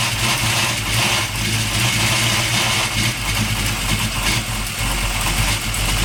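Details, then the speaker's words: 1998 Chevy S10 with a freshly swapped 383 stroker V8 and a noisy gear drive: revving with a busy metallic rattle over the exhaust rumble. Something is rattling; the source is not yet found. "all right it sounds like something's rattling I got to dig into that a little"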